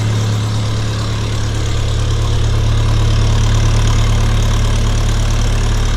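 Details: 1952 Massey Ferguson TEA20 tractor after full engine rebuild, with new battery, distributor cap, coil, hoses and 12 V alternator; steady, even low thrum with smooth regular beat, no knocking or missing; normal idle.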